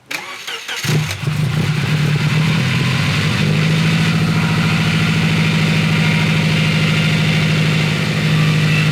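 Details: Subaru Legacy GT project car on a new tune: brief crank, quick catch, then steady smooth idle with even low drone; healthy start.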